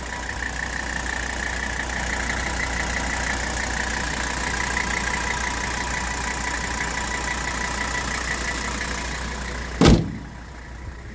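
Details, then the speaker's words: 1984 Mercedes-Benz 300D 5-cylinder turbo diesel, 121,000 miles, just started cold: steady, even diesel clatter at idle with no misses or knocks, then a clean shutdown thump. "so just started uh please warm now they start up cold just fine"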